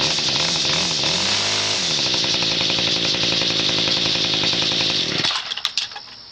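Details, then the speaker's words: Garbage-picked trimmer, owner thinks a Ryobi two-stroke, after flywheel repair with modified muffler, not fully warmed up: loud high-pitched buzzing held at high revs before shutoff; normal running. "And so, you can hear my god- aful muffler uh modification. So, I'm not wasting your time."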